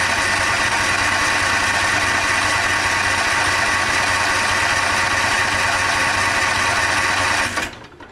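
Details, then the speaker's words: Toro TimeCutter SS5000 zero-turn mower, customer reports bogging and dying when PTO engaged: flat weak buzzy drone that never picks up, then cuts out; choke stuck on from seized, rough choke shaft, running too rich. "Apparently the choke's still stuck on, like I was just saying."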